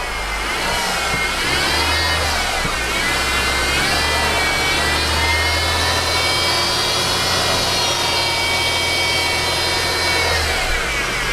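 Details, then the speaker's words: 2013 Mercedes C250 (C-class), engine running with hood open: high dental-drill-like whine rising and falling with revs, from a worn idler pulley bearing, not the timing chain or cam gear. "let's go ahead start the Mercedes now okay and you can hear that whining it's kind of like a dental machine"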